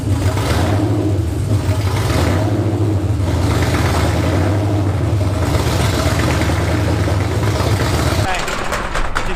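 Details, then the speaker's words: Nissan VH45DE V8 coupe, first start after engine fix: a deep, even V8 rumble catches and settles into a steady run for several seconds; the engine starts and runs cleanly. "starts relieved so relieved now just get the keys out"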